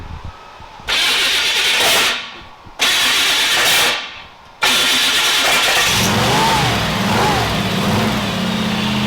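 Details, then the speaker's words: Kip's Willys Wagon, starter shimmed with washers but still sounding terrible: two harsh grinding cranks, then an uneven idle with a wavering whistle. Exhaust sounds good; owner suspects a giant vacuum leak, unconfirmed. "Exhaust sounds good. Oh, idle. Sounds like it's got a giant vacuum leak."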